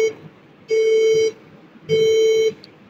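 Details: HP desktop POST beep code of 3 long and 2 short mid-pitched beeps, the long ones about half a second, repeating, with red and white light blinking at power-on; persisted after washing both RAM sticks; BIOS battery found very weak, suspected cause.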